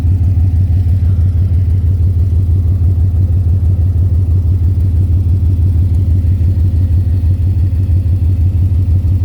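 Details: 2010 Ford Mustang GT V8 at idle: a steady deep knock about three times a second, loudest low near the oil pan and the torque converter/transmission; suspected rod knock, lifter tick or loose torque converter; cause undiagnosed.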